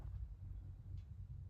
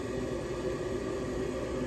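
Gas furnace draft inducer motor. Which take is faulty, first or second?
first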